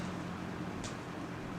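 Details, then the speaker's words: 1998 Lasko Model 3700 "Ultra Force" 20-inch box fan on low: a soft, even, ultra-quiet whoosh with a faint low hum and no rattles or ticking; running normally. "ultra quiet blow that these fans are known to have that is definitely quiet enough to where i can sleep peacefully"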